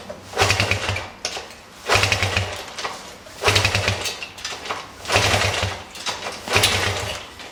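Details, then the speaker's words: 1973 Honda CB100, hard to start, won't idle, weak spark; after replacing spark plug (gap about 0.25): engine surges in uneven bursts about every second and a half, stumbling and missing. Owner suspects ignition; coil and plug wire next. "Definitely didn't solve all my problems. I think we got to keep going."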